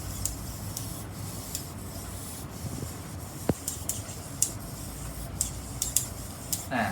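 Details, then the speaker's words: RC servo driven by a servo tester: sharp dry clacks about every half second over a soft rasping whir as it sweeps, from a broken tooth in the gear train, stripped servo gear. "เพราะฉะนั้นพอมันไม่มีแต่แก้เหมือนตัวนี้ตัวนี้จะมีเสียงแก๊กๆเนี้ยอ่ะ"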